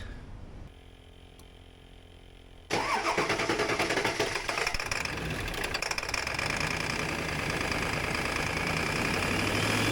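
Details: 7.3 Powerstroke diesel with a rough idle, started with the air intake off after a temporary repair to a brittle valve-cover connection and with new injectors fitted. It catches abruptly into a lumpy, uneven idle, still rough; cause not found.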